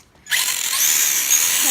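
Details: Traxxas RC car after the slipped gear was repaired and motor-to-gear mesh realigned: a smooth high-pitched motor whine spins up and holds steady, and the earlier grinding is gone; the drivetrain sounds healthy.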